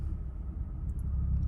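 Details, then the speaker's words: 2006 Infiniti M35 Sport, 225k miles, after replacing both camshaft sensors, two engine mounts and the transmission mount: soft, even low hum at idle with no knocks, shudder or clunks, quiet normal idle. "turns out that both the motor mounts and the transmission mount were bad so i got those replaced and it sounds like a brand new engine so idle's quiet drives quiet it's in pretty good shape"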